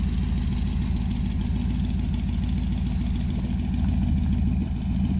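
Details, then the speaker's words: 1966 Dodge Dart GT 273 V8 on its stock-sounding street cam with a 650 carb, before a solid-cam swap, after sitting a while. A steady, even burble at idle with a regular low pulse and no knocks or misses: normal idle. "been a while since we fired the old dart but fires up every single time never misses a lick it just sounds like stock boring crappiness and uh we're gonna fix that"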